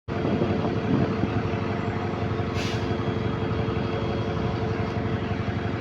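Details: GAL E210 bus diesel idling, heard outside: loud rumble with rough, ragged puffing chuff pulsing irregularly, consistent with an exhaust leak; such leaks often leave black dust on parts near the engine.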